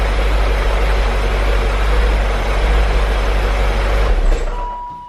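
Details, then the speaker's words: 2003 BMW E39 M5, S62 V8, mostly stock with stock exhaust, not a completely cold start: deep, steady low rumble at idle with no rattle or clatter from the front of the engine; owner hears pretty much no VANOS noise. Normal idle. "guys so as you can hear the car sounds really quiet pretty much no vanos noise in my opinion I mean it does definitely have the s62 style sound of course all of us have grown to love or maybe hate"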